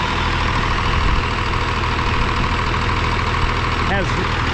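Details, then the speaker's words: 12-valve 5.9 Cummins swapped in with a VE pump after sitting 15 years, fully hot after gummed fuel cleared: an even, steady diesel clatter with no misses. Healthy idle with no blow-by; runs like a top. "There's no blow by. Let me find a light. There's a blow by. There's none. Absolutely none. I'm extremely happy right now. This thing runs like a top."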